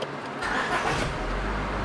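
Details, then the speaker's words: 2004 Honda Civic with 208K miles starting after a front rotor and ceramic pad replacement, with coolant and a little oil added: the engine catches quickly and settles into a steady, even idle with no knocks or squeals. "the vehicle started sounding great okay brake light is out everything else looks good"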